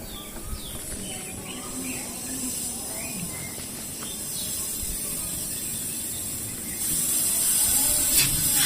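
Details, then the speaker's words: Refrigerant (freon) venting with a steady high-pitched hiss that swells louder, from the cut discharge line at the filter dryer of a Polytron single-door fridge whose freezer evaporator won't cool (suspected blockage); emptied before welding. "oke di sini terdapat kandungan gas preon ternyata yang masih tersimpan jadi harus kita kosongkan dulu baru boleh melakukan proses pengelasan"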